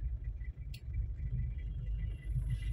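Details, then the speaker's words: Toyota Kijang LGX diesel while driving, after a tune-up with Blackcore additive, without a catalyst fitted. Low, even diesel rumble with no knocking or rattles, smooth and dry; normal diesel engine running. "Nah tune up itu mengembalikan kondisi Kijang LG ini jadi standar betul-betul seperti keluar baru dari pabrik pak. Kan terasa tuh mantap, ya kan? Suaranya juga halus, kering,"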